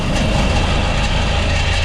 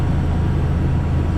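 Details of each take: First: Walk-in cooler used as garbage-room air conditioning: one evaporator fan gives a loud, harsh, steady roar with rough rattling hum, the other sounds okay; worn evaporator fan motor with shaft play. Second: Walk-in cooler unit running after fixing a missing-screw mounting plate that caused violent shaking: steady even low hum, the rattling vibration noise gone.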